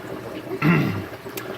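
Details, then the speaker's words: 60-cube reef tank siphon drain line restarting after the return pump was turned off and the line drained: a sudden gurgling, bubbling burst over a soft trickle as air purges out of the siphon line. "it will take a moment for the bubbles to all Purge out of there"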